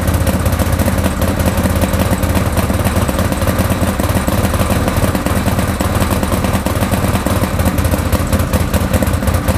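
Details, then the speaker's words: Salvage 2013 Arctic Cat Wildcat 1000 X at idle despite new spark plugs and fresh fuel; steady low idle with an uneven, stumbling beat like one cylinder dropping out; smooths somewhat at 2,500–3,000 rpm, misfire cause unknown. "it sort of smooths out a bit more around two and a half thousand rpm to three but it's definitely kind of like it's missing so i'm not too sure why it's missing"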